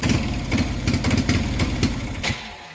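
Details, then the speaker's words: AKT Flex 125 motorcycle, hard to start, carburetor and valves already checked: engine stumbles in uneven bursts, then sags and fades, bogging with no power on hills in any gear; caused by faulty CDI ignition. "Incluso miren que la moto también da mucha lidia para encender, y cuando enciende, miren cómo suena, se ahoga. Esta moto así como está no anda nada, no sube ninguna loma, ni en primera ni en ningún cambio sube, está súper ahogada."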